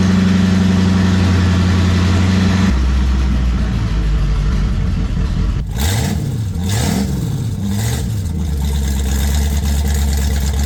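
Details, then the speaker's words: 1967 Ford Mustang barn find sitting since 1986, straight-pipe exhaust: loud unmuffled V8 idles steadily, then quick throttle blips rise and fall cleanly; healthy running. "This is just completely packed. Listen to it. Yeah, it's straight pipe it is."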